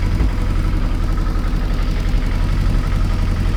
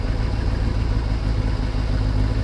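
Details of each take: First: Kawasaki ZXR750 H1 just started on choke after its carburettors were stripped and cleaned, before warm-up and balancing: a deep, lumpy, uneven idle with occasional backfiring. Vacuum gauges show the carbs badly out of synchronisation. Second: Kawasaki ZXR750 H1, after carburetor cleaning and balancing all four to about 22 on vacuum gauges: smooth, even inline-four idle with a steady low burble, no hunting or misfire; normal idle.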